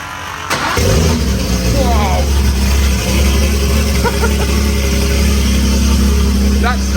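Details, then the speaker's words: Lamborghini Murcielago V12 with custom ITBs from two E46 M3s on Haltech Nexus R5 ECU, no map yet, after firmware auto trigger update: catches within half a second and settles into steady, even idle, no misfire; running really nicely. "the quiet mod I didn't know that sounds that's running really nicely"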